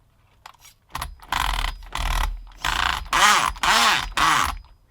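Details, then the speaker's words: Used HPI Nitro Trophy nitro RC buggy, drivetrain turning: six short rasping bursts, about two a second, each with a rising and falling whir, as gears skip or ratchet; something has gone wrong in the drivetrain. "Oh, that doesn't sound good, does it? Bloody hell. Alright, something's happened there."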